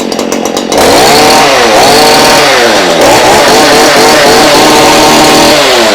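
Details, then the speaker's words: Stihl hedge trimmer, two-stroke, after fixing bogging caused by poor fuel, plug and spark arrestor: after a brief rough start it revs and rises and falls cleanly with the throttle, no bogging; now running healthy. "Oh, that sounds happy. So we have now fixed it. It is a good running machine now."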